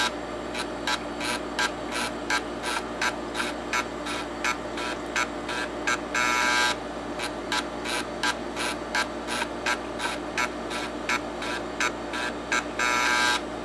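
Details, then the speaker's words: TEAC FD-505 combo drive, used, under test: the 5.25-inch drive head steps normally with regular quick ticks about two a second over low motor hum, occasional longer buzzes and slight noise that doesn't sound too bad. "Okay, well, that head also appears to be moving okay, and like the 3.5, it also has some slight sound with it, but it doesn't sound too bad."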